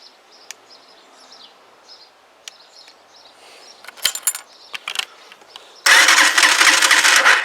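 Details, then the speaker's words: Huoniao HN125 engine after installation, powered from a jump pack without a battery: quiet ticking, then a steady fast starter whirr; turns over but never fires because the spark plug lead is off. "should we put the spark plug on that might help"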